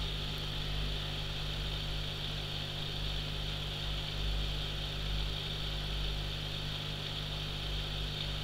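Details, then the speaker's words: Allpondsolutions 650 L/h aquarium powerhead back in the tank after lubricating the impeller with silicone oil, despite a worn metal shaft: low steady hum, soft even whir, no rattle, much quieter, about 45 decibels. "the silicon oil seems to have done its job nicely it's much much quieter it's something I can easily sit through whilst watching the TV in the lounge"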